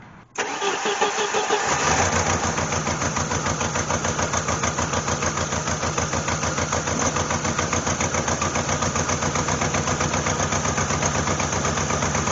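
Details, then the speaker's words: 1988 Jeep Wrangler 2.5L four-cylinder, rough running after several shops' repairs: lumpy, loping idle with an uneven chuff about three times a second; two cylinders not firing, misfire. "that one's working that one's working that one's not working that one's not working all right so we got two working"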